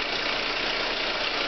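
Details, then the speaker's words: 2003 VW Passat 1.8T at cold idle, about 30°F with 75 psi oil pressure, just after a cam chain tensioner replacement: a loud, harsh, steady high-pitched rushing clatter. Nothing wrong was found inside; it cleared after Seafoam and warming up. "It's a not so nice sound after doing the cam chain tensioner. Makes me very sad. And here's the extent of it here. Pretty loud."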